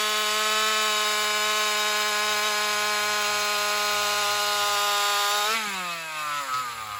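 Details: Alcohol-fuelled chainsaw in a test cut after a fuel line swap, previously starving for fuel in longer cuts. A high steady scream in the cut, then revs sag and hunt downward; owner concludes lean running from fuel starvation. Owner plans a bigger fuel line or metering lever adjustment.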